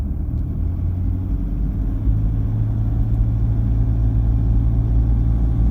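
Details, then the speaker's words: Toyota Prado diesel after injector replacement and remap, warming up at 1650 rpm: steady low rumble with a light uneven rattle, the same as before; a normal diesel rattle that quietens as it warms. "as it warms up it's going to quieten down right that's what's going to happen with a diesel engine 1650 pretty well the same sort of rattly noises before"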